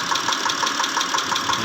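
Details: 2010 Mitsubishi Pajero, 6G74 V6, at idle: sharp, evenly spaced knocks about six times a second over a steady idle; engine knocking, source still unknown.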